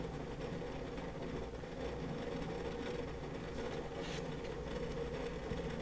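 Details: WD Red Pro 20TB NAS hard drive (9 platters) in a small plastic NAS enclosure under peak load test: fast constant patter of light clicks over low hum; pretty noisy but normal seek chatter for large enterprise drives.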